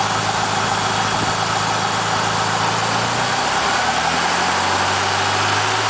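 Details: 2000 Eclipse with abnormal engine noise: uneven idle with a harsh hiss on top and a low note that shifts partway through; source unknown.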